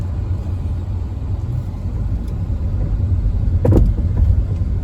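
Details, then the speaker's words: 2012 Hyundai Elantra Limited driven at low speed: low road rumble then short crunching clunk over small bumps; diagnosed as worn sway bar end links, replaced. "It sounds like a crunching. Bumps. Crunch, crunch. Crunch, crunch. Very crunchy. Seems to be at low speeds and over bumps of any kind."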